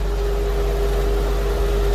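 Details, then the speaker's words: Infiniti M45 VK45DE at idle: steady mid-pitched whine over low engine rumble from a worn belt tensioner pulley that vibrates and wobbles with the belt almost slipping off. "this one I can feel a lot of vibration coming from it and I got some kind of ears getting louder so I'm pretty positive that's what it is"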